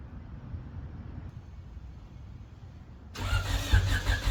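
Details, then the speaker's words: Honda Civic cold start after reassembly with valve cover and spark plugs back on, coolant not yet filled: engine catches after a quiet pause and runs rough and lumpy, still down a cylinder; owner suspects bottom end, unconfirmed. "Well, unfortunately, it sounds like we're still down a hole. That sucks."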